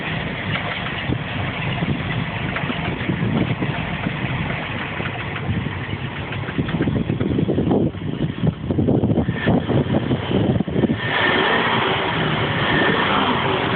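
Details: MerCruiser 7.4 L V8 marine engine starts and runs well but idles with an uneven mechanical clatter that persists with gear engaged; cause unknown: abnormal engine noise at idle.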